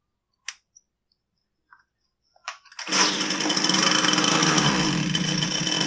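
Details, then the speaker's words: Husqvarna 122C string trimmer that starts but won't rev, running only on choke. Rough, uneven two-stroke buzz that never climbs to a clean high rev, kept running by feathering the choke; starving for fuel, cause not yet found. "so if you noticed I was able to feather the choke and keep it running kind of so that means that it's starving for fuel"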